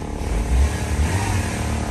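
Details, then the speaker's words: Honda Civic EK sedan after fuel pump replacement for a crank no-start: steady, even idle with no roughness or misfire. "as you can see it's not a rough or nothing bro no nothing"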